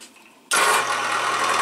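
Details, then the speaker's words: Harbor Freight vs WEN benchtop drill press motor starting: buzzy rattle over the motor hum, coming from the loose belt cover lid. "course this one's clamped down so it doesn't have that but you can hear that rattle D here is actually just the lid there"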